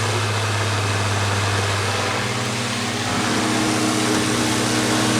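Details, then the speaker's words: Older Honeywell HT-803 turbo fan tilted back, running with a rough hum and shifting tones over the air rush from noisy, worn motor bearings; also bad when level; a bushing shim fix is attempted before repair. "hello viewers here is a Honeywell turbofan this is the older model it is number HT 8:03 and a bearings are a little noisy the worst one is tilted back"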